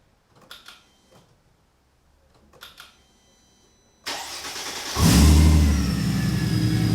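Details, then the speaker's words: Mercedes SLK32 AMG (M112 supercharged) starting after SL65 fuel pump, adjustable fuel pressure regulator, new plugs and re-flashed tune: clicks and pump hums after key cycling, one short crank catches at once to a smooth, steady fast idle. "Fired right up."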